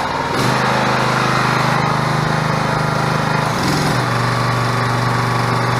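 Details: 6.5hp gas engine driving a 13-gpm two-stage hydraulic pump (2000 psi) on a portable hydraulic power unit; steady drone, dips and recovers near four seconds as pump loads; normal running under load.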